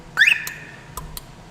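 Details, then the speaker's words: Aliexpress car alarm with remote start/stop, button pressed twice to leave shock-sensor silent mode: quick rising double chirp then faint ticks, confirming return to normal mode. "Press this one 2 times. 1, 2. You heard the shrimp. 2 shrimps. And then we're back on normal."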